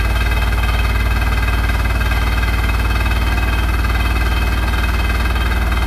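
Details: Hotpoint NSWR843C washing machine on final fast 1200rpm spin: loud steady roar with a fast regular rattle about two beats a second; drum or suspension rattle, cause unclear; it had just gone loud and crazy.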